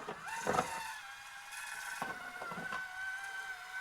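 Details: Axial SCX30 Bronco crawler with Furitek micro motor and stock transmission: a faint high gear whine rides over light motor hum while driving; the transmission is noisy, owner plans to add grease.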